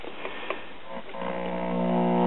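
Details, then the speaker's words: Circa 1939 Emerson 5-tube battery portable, 1.5V filament and 90V B+, after a positive voltage was brought down to zero volts: a few taps, then a steady buzz holds cleaner through the speaker; the audio stage is improved. "got a little bit cleaner buzz on the audio now"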